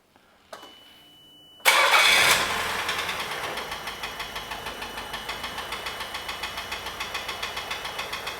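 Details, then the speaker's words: 1991 Nissan Figaro, boost tube on, listened with long screwdriver: after start settles into a steady knock about four per second at idle; engine knock, suspected rod knock or timing belt tensioner bearing, unconfirmed. "we got a long screwdriver to listen to it [Applause] yes it's probably knocking more than likely"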